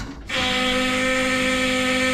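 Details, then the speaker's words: Key-on of an LS2 converted to a Haltech Rebel LS ECU, replacing a Holley Sniper 2: steady, fairly loud electric fuel pump whine while priming; fuel pressure problems on track suspected, new Summit pump hoped to fix them. "the uh that's our alloud fuel pump get to that in a second the rebel takes care of everything it primes a fuel pump does everything we need it to"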